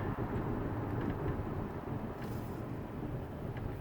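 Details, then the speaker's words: 2012 Dodge Grand Caravan wheelchair van, about 1,000 miles, braking hard downhill: steady road rumble with no squeal, grinding, squeaking or vibration; brakes normal. "grinding no vibration no squeaking no unusual brake noise"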